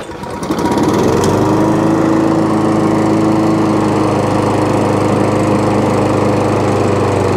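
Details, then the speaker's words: Old Hayter 56 mower petrol engine, bought not running, running a month before pickup: starts on choke, choke off, settles to a steady even idle with no misfires; engine runs normally though the drive does not work. "so the engine starts it comes on to choke off a choke uh runs onto uh onto idle"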